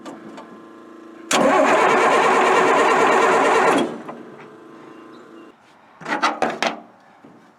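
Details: Military Deuce 'n a Half diesel truck after injection pump work, with fuel delivery problems, cold weather: steady starter cranking about two and a half seconds with a little throttle, never catches; cranks but won't fire.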